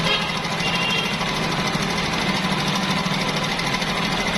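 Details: Honda CD 70 engine before the timing chain and rollers were replaced: a fast, steady metallic clatter over the small single's idle throughout, from a worn timing chain slapping and rattling. Timing chain rattle.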